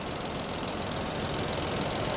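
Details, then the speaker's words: 2020 Infiniti QX60, 95,882 miles, with oil consumption and P0304: rough, uneven idle with irregular stumbles; unplugging cylinder 4's coil changes nothing, so it's dead. "It changes. You can hear how it changed idle. It didn't change on cylinder 4."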